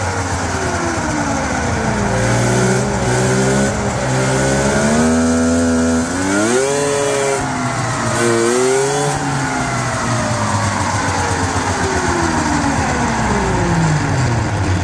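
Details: Yard-find Polaris Indy snowmobile, running hot: uneven two-stroke revs with a crackling, ragged edge and odd extra noises; cause not identified.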